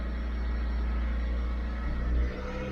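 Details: 2012 Dodge Avenger in limp mode, check engine and lightning-bolt lights on, revs locked below about 2,000 rpm, throttle body suspected: flat, low steady drone that won't climb, then dips; revs capped.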